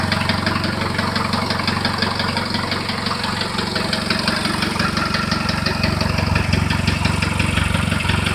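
Steady idle with a regular, sharp knock near 170 per minute riding over the engine note, a knock whose cause is still unknown.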